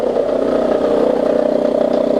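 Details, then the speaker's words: 2002 Toyota Camry, 220k miles, after new plugs, coils, valve cover and throttle body cleaning: steady mid-pitched whine with faint rapid flutter at idle, worse with AC on; traced to belt tensioner, quiets once warmed up. "coming from the belt tensioner there as you can hear when i turn the when the ac turned on there okay it's going to stop now"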